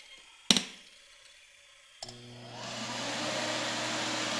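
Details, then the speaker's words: Kerosene/diesel shop heater powered from an old car battery through a cheap 400 W modified sine wave inverter putting out about 118 V: switch clicks, then the fan spins up to a steady hum and air rush, as fast and loud as on wall power. "fans sound like they're exactly as loud running exactly as fast as they would normally"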